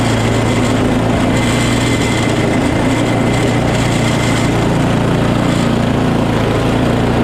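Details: Small single-cylinder engine after quick carb clean, primer now making noise: steady even running with no misses, surges or knocks; sounds healthy.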